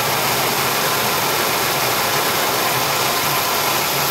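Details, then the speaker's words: Ford Ranger idling after fan clutch staged down, quieter than the earlier loud fan: even steady idle with only a soft airy fan rush; fan clutch disengaged, normal until the engine reaches temperature. "you hear she just stage down again and that's that's what it's supposed to sound like you should just barely hear that fan blowing"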